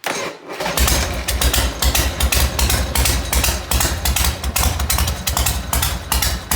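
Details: 1980 Harley Ironhead after restoration work, first run heard since redone: catches after brief crank, loose lumpy V-twin idle, steady beat about 160 a minute; normal cold start and idle.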